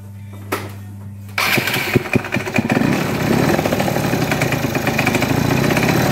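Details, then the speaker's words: MBK Stunt two-stroke scooter, not started for six months, running after new spark plug, full carburetor cleaning and new vacuum hose; uneven rattling clatter on revving; mechanic suspects broken connecting rod bearings, unconfirmed. "Mais à mon avis, je pense que le scout aussi, il y a des roulements de bielle qui sont pétés parce que vu le bruit qu'il fait, pour moi, à mon avis, ça doit, il doit y avoir des roulements de bielle vu le bruit qu'il fait."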